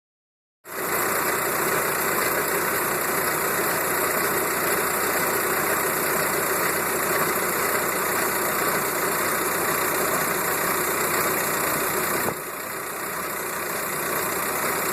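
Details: VW Golf Mk4 BEW diesel, front wheels in air, idling in fifth gear: steady hiss with loose repeating shunk about three to four beats a second from front end; owner suspects bad wheel bearing, unconfirmed.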